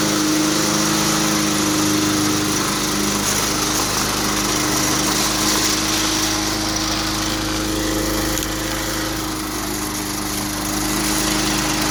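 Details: 2004 Cub Cadet Cyclocut mower, Kawasaki 179cc ~5.5hp single-cylinder, cold start after one primer-bulb press, barn find used on farm brush since 2004; steady even speed, no misses, knocks or hunting; normal running.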